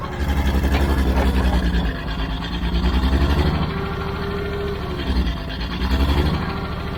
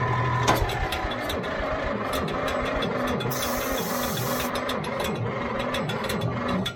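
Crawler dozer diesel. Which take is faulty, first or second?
second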